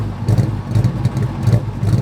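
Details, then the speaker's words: 2003 Mustang GT V8 after 4-valve engine swap, new mufflers: deep idle stumbling with a beat dip roughly every half second; slight miss at idle, owner suspects connector or wiring issue, revs cleanly to about 6,300 rpm. "all right so as you guys have heard um at idle there's definitely a slight miss but when you go to rev it out this thing revs to the moon"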